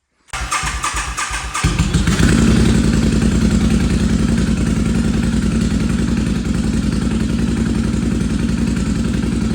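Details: Free Intruder motorcycle after fuel line replacement and fresh fuel: a few seconds of cranking, then fires and settles into steady, even idle; starts and runs properly.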